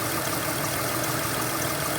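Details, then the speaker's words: 2005 Kia Sedona, warmed up, idling, suspected freon leak: thin high chirp about six times a second; owner deduces it comes from the low-mounted AC compressor pulley, probably a bad, binding compressor. "the squeaking is coming from that pulley. probably because I have a bad air compressor down there."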